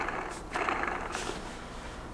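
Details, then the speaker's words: Meepo V4S ER electric skateboard rear hub motor, removed and spun by hand during rebuild: short rough grinding rasps instead of a smooth whir, something dragging inside; the bad motor being replaced. "damn this is heavy oh that's the bad one can you hear that"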